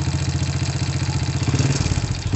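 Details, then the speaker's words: Honda Supra motorcycle engine at idle, engine smoking and leaking oil, gearshift also sticking; fast, even "kretek-kretek" clatter over the low thump; internal engine rattle, cause not yet pinned down. "ada beberapa Suarez dalam mesin komplikasi ini agar suara kretek-kretek ada suaranya merek-merek ada suara"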